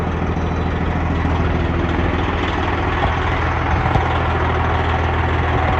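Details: Freightliner Cascadia with a straight-piped Detroit 60 Series diesel, in neutral, warmed up a little after a cold start: deep, steady rumble with an even beat and no knocks or misfires; healthy warm idle.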